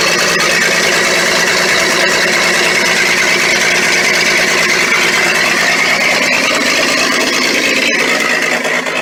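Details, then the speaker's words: Military Ford tug, first start after 11 years unused, run on mixed gas: loud, raspy petrol idle with a sharp open-pipe chuff, about four pulses a second; suspected exhaust leak, no exhaust donut gasket fitted. "Ah, listen to that. Oh, we might have an exhaust leak. I'd say there's no exhaust. Obviously no donut."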